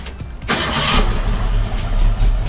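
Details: 1965 Ford Mustang V8, warmed up, Holley 4010 carb, electronic distributor, after idle mixture screws turned in from three-four turns to two and timing checked (46° at 1080 rpm): brief rev blip then low, steady normal warm idle.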